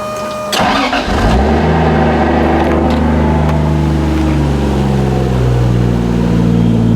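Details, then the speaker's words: 2JZ-swapped Nissan 240SX starting after the timing belt was redone: it cranks briefly, catches within a second, then settles into a smooth, even idle with a steady low hum. The engine runs properly after a broken tab from the retiming was removed. "Man, this exhaust sounds good. Just smooth. So I'm glad that this thing is actually running properly and how it should."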